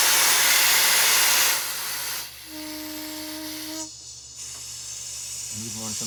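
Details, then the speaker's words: MCI 7 coach: a loud, steady high hiss for over a second, then cutoff. Air is leaking from the alternator belt tensioner's air cylinder even in the off position and exiting the switch's exhaust valve. "the off position it's leaking if you Jiggle It just right you get to stop but it's actually the cylinder that's leaking"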